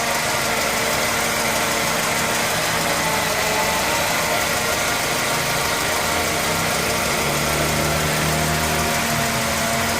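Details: Mercedes-Benz E220 W124 idling with fan belt removed: steady idle with constant busy metallic rattle and hiss; owner suspects timing chain noise, source not confirmed.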